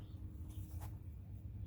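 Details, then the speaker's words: Removed Honda front driver's-side power window motor, powered directly from a battery through its two main wires: only a single faint click with slight movement and no run. The cable inside may be twisted; this is suspected, not confirmed. "now we grab our battery and connect one to the positive and the other to the negative but it sounds like all we get is a click let's reverse it"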